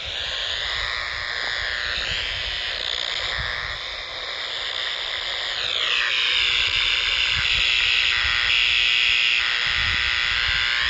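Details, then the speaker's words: Icom R30 communication receiver picking up power line noise: harsh fast steady buzz with shifting whistles over hiss, comes and goes when ground is shaken; suspected bad or loose ground or lightning arrester near transformer. "so right there is the easier it's either a bad ground or a loose ground or a lightning arrester"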